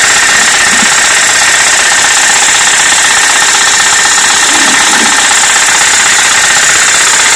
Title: Стук в двигателе